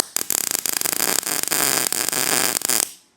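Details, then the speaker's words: Weld on a custom VW Beetle roof panel: a crackling arc sputters and pops unevenly before cutting out because the heat is set a little low, giving a cooler arc than wanted. "Hear it sputtering. That's because the arc is a little bit cooler than it wants to be, but that worked out well because it kind of backfired, and then I sunk that."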